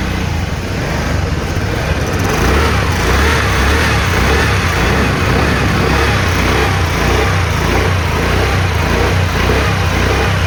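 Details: TVS Ntorq 125 BS6 Race Edition scooter after valve clearance adjustment (intake 0.04 mm, exhaust 0.07 mm): smooth, steady single-cylinder run with an even throb and no knocking or ticking; engine sounds healthy.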